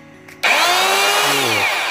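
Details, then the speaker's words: Jaco EZ Hoover Turbo JC333 vacuum cleaner (220–240V 50Hz, 350W): harsh, very loud whine and strong vibration at switch-on, with a burnt smell. A failed motor bearing is suspected; an identical unit was found with a damaged bearing. "dia bau gosong juga jadi kalau dinyalain tuh kayak gitu kondisinya getarannya kenceng suaranya kenceng"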